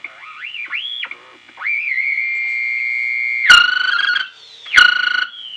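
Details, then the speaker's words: 1933 RCA cathedral radio Model 120 on a variac at about 100 volts with iffy original capacitors: high squeaky warbling tones sweeping and holding, loud bursts at high volume, differing by band; tube set motorboating, suspected audio load dipping the RF supply. "got motor boating at high volume squeaky motor boating so motorboats motor boats differently on different bands"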